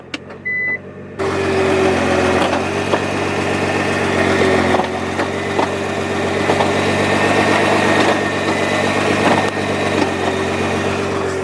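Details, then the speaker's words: 2014 Nissan GT-R twin-clutch gearbox at idle: engine settles to steady idle with dull thumps underneath as it is shifted into reverse and drive; normal dual-clutch engagement clunk, typical at slow speeds. "So the car makes a lot of transmission clunk, so if I put it in reverse, you'll probably hear it change. You can hear a noise down under. Same thing going into drive."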